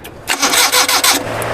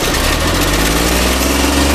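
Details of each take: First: Suzuki Mehran after a service engine wash: a second of brisk starter cranking that never catches. Switch current is getting through, but moisture in the distributor breaker points weakens the spark; the points are to be opened and cleaned. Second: Suzuki Mehran petrol car that wouldn't start after an engine wash. The wet breaker points were opened and cleaned, wiring wiped dry and current fed directly. It starts and holds a steady, smooth idle with no misfire.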